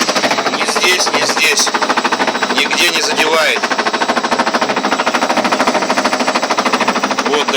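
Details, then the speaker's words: Ariston washing machine on spin with a normal laundry load: steady hard knocking about three times a second in time with the drum, clattering inside; the machine stands still and nothing rubs outside, so something loose inside the drum strikes every turn. "Такой стук не должен быть. Я думаю, вы сами поймете. У меня соседи всех подымет. Даже она не прыгает, ничего, а просто стучит внутри."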